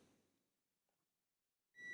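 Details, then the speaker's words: Five-pin relay test with multimeter, relay not energized: near silence then clean steady continuity beep between terminals 1 and 4, normally-closed contact connected, relay good. "Ketika relay tidak bekerja, maka antara 1 dan 4 dia harus terhubung."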